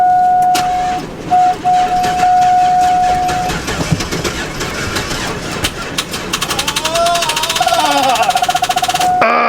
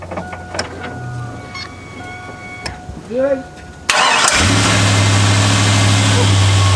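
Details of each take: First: Chevrolet Avalanche that sat all winter in about 25-degree cold: a warning chime rings while the starter churns steadily for a few seconds without the engine catching; the battery is too weak, so it was later jump-started. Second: Chevrolet Avalanche V8 that sat all winter, now with new spark plugs and wires, a new mass air flow sensor and old varnished fuel addressed. Quick crank, instant catch, then a steady, smooth, even idle with no misses; normal idle.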